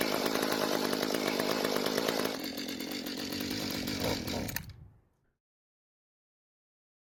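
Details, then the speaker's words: Two-stroke tiller/cultivator long unused, carburetor rebuilt, on mixed fuel: starts and runs briefly, then sags and dies when trigger squeezed; likely carburetor not giving enough fuel, needs adjustment including idle screw. "Well, the good news is that the engine starts and runs. However, it didn't stay running when squeezing the trigger."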